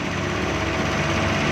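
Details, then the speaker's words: Suzuki Ravi (Bolan) van after its morning starting problem was fixed: smooth even idle with a steady low rumble and no knocks, misses or rough patches; normal. "तो ये सारी चीज़ें चेक करने के बाद हमने गाड़ी स्टार्टिंग पोजीशन में ले आए हैं।"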